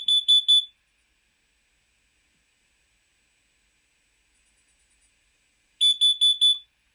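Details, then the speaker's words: Carbon monoxide alarm alert (T4 pattern): shrill high beeps in groups of four followed by about five seconds of silence, distinct from a smoke alarm's three-beep sequence. "Luego, también tenemos lo que se conoce como un T4. Esto emitirá cuatro pitidos, y así sonará un detector de monóxido de carbono."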